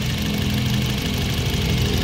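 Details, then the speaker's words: 2017 Honda City 1.5 at idle with the aircon on, after the AC compressor was replaced: steady, even idle with no added hum or drone. Before, it droned loudly with the AC on. Same sound AC on or off, normal. "Oh wala na yung wala na yung ingay ayan yon OP yon ah walang ingay pag naka-off on ulit natin aon parehas na sila ng tunog mga sir Yan po ang normal na tunog nung an"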